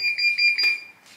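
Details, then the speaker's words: Bosch dryer: four quick high-pitched beeps with a sharp relay click as the drum tries to turn and then locks. E90 error, suspected electronic board fault. "Il cestello tenta a girare, però poi va in blocco ed esce l'errore è 90. Quindi questa asciugatrice ha un problema di scheda elettronica che si trova lì, questa qua."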